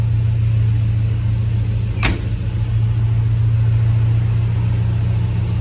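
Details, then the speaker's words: Grand Wagoneer with Hemi V8 swap, warming up, previously bogged and idled down low when hot: deep, even idle hum holding steady with one brief tick, no sagging; sounds healthier, exhaust now audible. "The motor sounds healthier. I actually hear the exhaust now."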